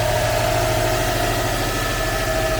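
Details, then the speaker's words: 2004 Subaru Impreza WRX STI, one owner, all original, cold start: smooth constant idle with steady hum and even beat, no ticking or hunting; healthy engine. "it's a very very smooth cold start on any engine especially a subaru engine let's hear it"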